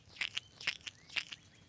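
Dry, gritty crunching clicks, roughly two per second as the loose link is worked by hand: a worn-out, ungreased sway bar link ball joint.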